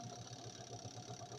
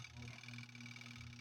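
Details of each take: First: Twin-tub washing machine spin motor, loaded with wet clothes: a steady, even hum with a faint high whine, accelerating to normal working speed with no knocks or scraping; normal spin motor run under load. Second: Twin-tub washing machine spin motor loaded with wet clothes. It gives a steady low electrical hum and only twitches or fails to spin up; it had started when unloaded. Failed capacitor.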